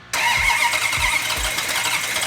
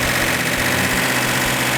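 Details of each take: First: Plymouth Cuda V8 with carburetors, first fire-up after build with fuel and oil pressure; short crank, then loud, lazy, slightly uneven running. Ignition timing thought to be retarded, likely needs advancing. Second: Plymouth Cuda V8 with matched carburetors after advancing distributor timing: strong even idle with bright exhaust bark, no skips.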